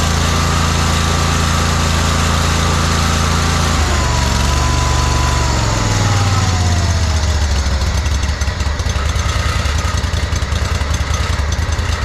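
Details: John Deere 317 lawn tractor with Kohler Command 18 hp engine, after fitting a new fuel pump; runs smooth and even, then settles to a lower steady speed, no misfire; no leaking, runs pretty decent.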